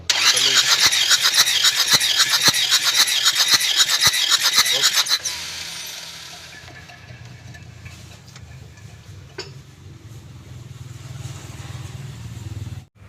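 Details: Car that stalled on the toll road after losing radiator coolant, cranking during compression test: starter turns at nearly four even beats a second with no firing; piston rings stuck, compression nearly gone, cylinders 2 and 3 worst.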